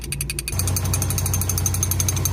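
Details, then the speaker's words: VW Gol, first cold start of the day: brief cranking then steady idle with fast even metallic chatter; a loose wrench left in the engine bay was rattling. "que o barulho vem daqui, ó. Vamos ver o que que é. Ah, descobriu o que que era. Por isso que eu não tava achando essa chave."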